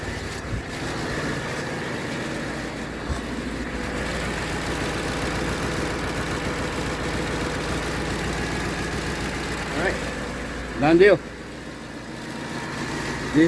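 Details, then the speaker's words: Ford F-150 5.4 Triton 3V V8 after exhaust manifold and broken stud replacement: steady, even idle with no ticking or puffing, very quiet; normal idle. "Okay. Yep. Really quiet now. Sounds like brand new."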